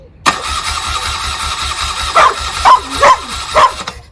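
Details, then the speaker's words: 1979 BMW R80/7, 43 years old, being restored, fresh fuel and charged battery, chokes open: starter churns slowly and evenly with a few sputtering pops but never catches; cranks without starting, ignition and coils not yet checked. "so we'll try again because it's going to get the fuel right through but there's a good chance that we haven't looked at the ignition system at all yet so we don't know whether the coils are okay"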